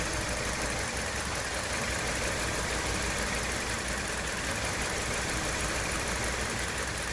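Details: 2017 Hyundai Elantra intermittent engine misfire at idle, occasional stumble breaking the rhythm every few seconds; ongoing issue that mechanics couldn't reproduce, No. 2 coil already replaced and computer updated; cause unconfirmed; console and engine bay views.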